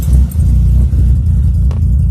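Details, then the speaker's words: BMW E36 leaking oil for about 3,000 miles: deep lumpy uneven rumble, engine labouring and stumbling; rough running. "hear that that should not be sounding like this struggling"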